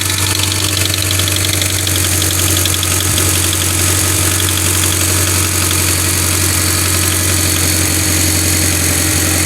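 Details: Mitsubishi Evo X cold start: a rapid, steady ticking knock over a smooth idle that fades after about a minute, returns on throttle, and stops after 5–10 minutes of driving; cam solenoids and the timing chain, guides and tensioner are already replaced; the owner suspects the cam sprockets.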